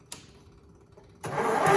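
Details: Briggs engine on a John Deere tractor, wired to a jump pack with the fuel pump running: the starter churns steadily, seemingly slowly, and it never fires. It was starved of fuel.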